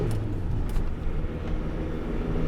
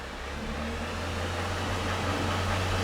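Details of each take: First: 2002 Renault Master 2.2 dCi on a road test: low engine drone under tyre and road rumble, pulling cleanly under load with no hesitation; power restored, running fine. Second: 2002 Renault Master 2.2 dCi van, no fault codes, no power, lots of black smoke: foot down, the diesel revs sluggishly and won't go past about 2,500 rpm, a dull labouring drone with no turbo grating sound; lack of power.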